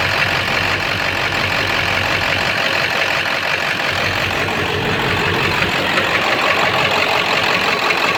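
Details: 7.3 diesel rough runner with no power, after high idle and street mode, going to bypass: steady knock about three per second over clatter, owner says sounds like rod knock; raw-diesel puffing smoke, EGTs good, cause not found.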